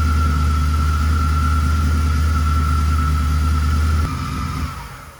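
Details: Supercharged V8 Camaro, not yet tuned, just fitted with an extra pulley and a blower lid spacer: a strong rev with a steady supercharger whine and a smooth drop back, pulling freely and sounding healthy.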